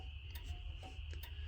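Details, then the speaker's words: 1940 Chevy coupe after installing a new wiring harness, headlights on and passenger-side blinker on: sharp dry ticks about once a second over a low hum. The turn signal flasher clicks normally. "I got blinkers here to hear the uh flasher blinking"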